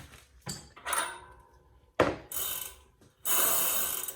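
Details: Restored 1979 Schwinn Traveler III 10-speed, freewheel just installed and snugged: crisp, even ticking in short spins slowing as each coasts down, no grinding or skipping; freewheel pawls sound right.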